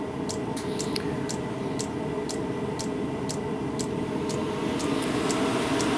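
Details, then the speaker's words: 12V diesel heater with bodged 24V fuel pump, just lit: fan jumps straight to about 4000 rpm, pump ticking quickly (~3/s) over steady fan hum; runs like this until outlet temperature reaches 110, heater running normally. "like that it just fires straight up to four thousand rpm the pump good tick tick tick tick tick tick but this isn't fulfilled just yet"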